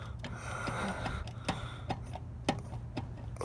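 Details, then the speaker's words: 2014 Honda Odyssey, suspension noise like a hub bearing that stayed after both hubs were replaced: sharp ticks about twice a second over a low hum, likely from a completely worn axle intermediate shaft bearing. "And that's a axle shift bearing which is probably been completely gone out of here."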